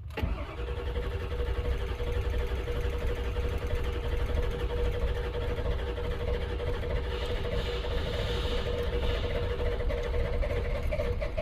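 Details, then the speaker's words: 1999 Ford F-250 7.3 Power Stroke diesel after repairs, on battery charger, after wait-to-start light: long steady rhythmic cranking, reluctant to catch, then it fires; then idles at 760 psi high-pressure oil, IPR 20. "and we fired and now i got to get it out of the shop this thing is going to stink"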